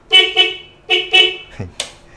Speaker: Masih ada kelaksonnya nih, Guys.